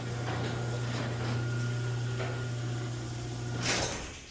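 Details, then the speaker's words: Garage door with opener motor humming steadily while the door creaks and ticks, ending in a thud as it seats; creaks from the metal hinge connections, partly lubricated with garage door lube, check the chain. "getting some creaks and groans. Make sure that chain's good. Then also the creaks and groans are going to be coming from these connections over here."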